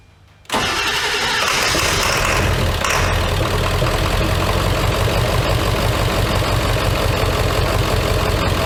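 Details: Ford OBS 7.3 Powerstroke diesel, first start after installing Marty's E-Fuel kit with a new part fitted, fuel regulator at its lowest setting of about 25 psi: quick crank, then it fires straight up into a steady, even diesel clatter at idle; healthy.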